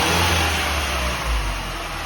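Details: Mini JCW Coupe after its cylinder head was reconditioned and refitted, first run with the car partly reassembled, revved: strong, steady low drone swelling and easing evenly with throttle, no knocks or rattles; revs cleanly.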